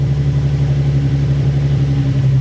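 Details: Nissan 350Z with a freshly swapped-in JDM replacement engine, after the refreshed original engine failed at about 180 miles; first run shows a deep, even hum at steady speed with no knocks, ticks or rattles, healthy.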